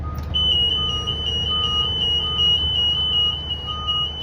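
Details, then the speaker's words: Freightliner bus: shrill high-pitched alarm pulses rapidly nonstop; passenger door open or not latched properly, fixed by releasing latch and pushing door closed. "hello if you experien a problem with the passenger door alarm going off it's simple Stacks to fix it"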